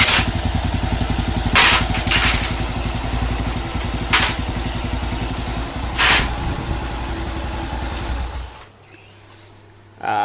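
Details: Honda Wave 110cc motorcycle after rebuild with new connecting rod, crankshaft bearing and rebored block, head untouched: small single revs rise crisply and settle to steady idle, no knock or rattle; normal idle and revving.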